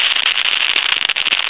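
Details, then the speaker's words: Pottery Barn Grand Phone before repair, initial checkout: constant harsh sizzle with rapid random crackles and pops on the dial tone; calls cut off; handset cord ruled out. "and you can hear all that sizzling and crackling now we've checked the handset cord and things since this is the initial checkout and that's not the problem"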